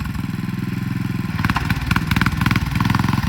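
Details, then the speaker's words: 1967 Sears Super 12 garden tractor with swapped-in single-cylinder engine, third-gear drive test: uneven lumpy chugging that falters when throttle is given, stumbling and nearly dying; owner suspects the carburetor. "Yeah, it doesn't like the throttle for some reason."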